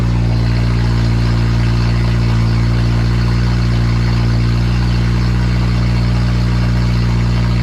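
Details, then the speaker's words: Honda built K20A2 engine, first start: loud, deep, steady idle with even exhaust rumble and no knocks or ticks; new engine runs healthy. "that is the sound of the new engine guys"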